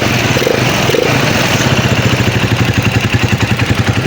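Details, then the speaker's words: Microbike EXT150 after upgrade from 150cc to 200cc with a 65.5mm cylinder block: steady, even single-cylinder idle at about four beats a second, no knocks or rattles; quiet, starts quickly, good healthy idle, though the exhaust is damaged. "Mabilis siya paanda rin, tsaka maganda yung idle niya."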